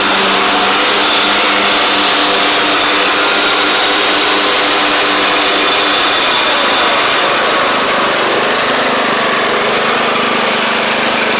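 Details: Craftsman DYT4000 riding mower after repair, running while driving: steady even engine drone settling slightly lower as load comes on; charging the battery, drives and blades work; smooth and healthy.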